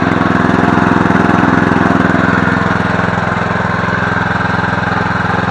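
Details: Murray riding mower, 17.5 hp, 42-inch deck, revived from non-running with basic maintenance, new blades and a replacement carb; steady even chugging at constant idle with no misses, surging or knocks, healthy idle.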